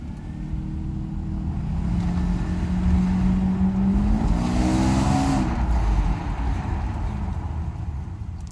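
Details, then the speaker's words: Mercedes 600SL V12 road test after repairing the passenger-side throttle body and E-gas module (ASR test): smooth pitch climb through the revs under quick acceleration, no misses or knocks; some suspension creak noted. "we are he's gonna do a quick acceleration and that's about it you can see it goes like a beast"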